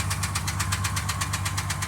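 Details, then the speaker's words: 2003 Jeep TJ idling: sharp, even, hard metallic knock about seven per second from the engine. Owner plans to replace the engine. "Hear that knocking? That's the engine. That's why I need to put a new engine in it."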